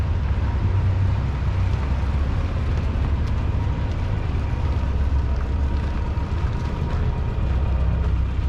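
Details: Type 1 VW Bug air-cooled engine, first run on dual carbs after an electric fuel pump install and a clogged stock fuel line fix: steady low rumble with an even beat, no knocks or misses. Running normally.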